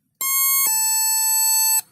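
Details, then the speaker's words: NE555 DIY electronic doorbell kit after assembly with a replacement 555 IC, on 9 V drawing 87 mA; pressing and releasing the button gives two frequencies, a clean high beep shifting to a slightly lower steady tone for about a second, working properly. "Now you can hear how is it working. If you press it and release, two frequency is generated."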